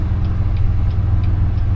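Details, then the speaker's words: 2011 Chevrolet Impala 3.5L V6 on a test drive: faint light clicks about three a second over road and engine rumble, heard in the steering column; an exhaust leak under the driver's seat is also present, and sway bar links are suspected. "Yeah, we've got an exhaust leak. There's a clicking noise going on."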